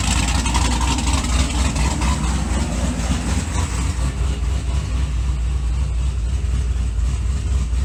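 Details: Supercharged C6 Corvette V8, first fire-up after piston replacement and new heads, idling while warming up: a deep, steady, even rumble with no ticks or knocks. Quiet under the hood, exhaust loud at the rear, oil pressure good; it still needs a tune.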